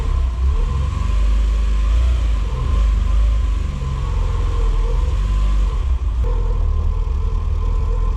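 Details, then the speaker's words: Porsche with a replacement 2.0 Audi engine swapped in after the old engine lost two cylinders; new timing and alternator belts, valve clearances checked, front seal changed. The first start catches to an even idle and revs smoothly to about 5800 rpm with no knocks. "okay so around 5800 rpm later I think it's safe to say this thing runs for now"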